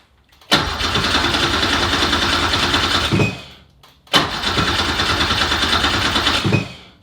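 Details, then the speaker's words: Porsche with a Subaru EZ30R flat-six swap: two cranking attempts of about three seconds each with no firing; the cause was found to be the ECU ignition voltage dropping while the key is turned to crank. "every time I would crank it well nothing would happen basically and sure enough AJ to the rescue his guy said we check your ignition that when you're actually turning the key that that ignition voltage doesn't drop"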